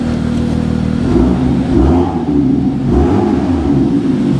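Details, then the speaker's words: Manual BMW M2 salvage-auction car, engine not yet warm on a roughly 5°C day. Two light blips, note rising and falling smoothly with no knocks or rattles: normal revving. "But give you a little bit of a sound. It's not warm, so I'm not going much."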